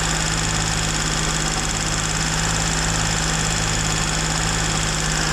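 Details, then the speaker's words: Car after throttle body work with a makeshift seal ring, now cooled down: steady raised idle with a constant airy hiss and no drop in revs; high idle, owner suspects it is drawing air somewhere. "Ну что он остыл блин всё равно высокие обороты где-то он тянет воздух капец"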